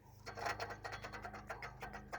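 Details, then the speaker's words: Daihatsu Sirion that overheated. With the fan belt removed, the water pump pulley is turned by hand and gives rough, gritty rasping in uneven strokes from a failed bearing. The pump was the cause of the overheating and was replaced. "That's not right. You can even hear that bearing. It's bye-bye."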